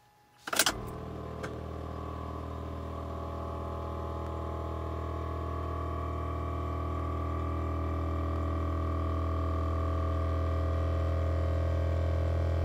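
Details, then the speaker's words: 12-volt Thomas-type electric power brake vacuum pump for an electric car conversion, mounted without vibration isolators: kicks on and settles into a steady low droning hum carried through the body. "so let's go put these in and see how well they work here's the pump noise without the vibration isolators"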